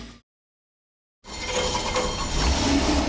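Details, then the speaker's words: Bracket race V8 from repurposed parts after swapping the overfueling carburetor, freshly painted headers still cooking: big, even pull with crisp clean exhaust, no misfire or stumble; normal running. "now that's the sound john needed to hear but these painted headers we found need time to cook a little"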